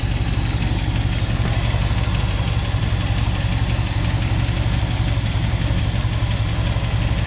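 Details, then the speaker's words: 1976 Dodge Power Wagon W100, V8 revived after 16 years; steady low idle with light uneven knock on one bank: light knock at idle, owner suspects valves not closing fully, one pushrod turning slower than others. "you can hear a little plank on that side but nothing on this side and I can see all of the rods turning right now"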